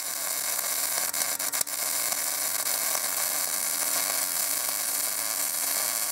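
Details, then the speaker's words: MIG welder arc sputtering and stuttering with a steady frying hiss broken by sharp pops and dropouts, on a Binzel-style gun with 0.030 wire and tip; uneven wire feed caused by a worn gun liner, fixed by replacing the liner. "you'll see every time it sputters and stutters is because of the liner you switch the liner and it will go away"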